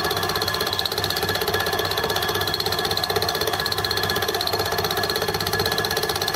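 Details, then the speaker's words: Gingery milling machine fly cutter test cut: regular scraping tick about four times a second over spindle hum; the cutter's back edge is touching the work, suggesting the head is out of tram. "you don't know if you can hear that but it's it's touching"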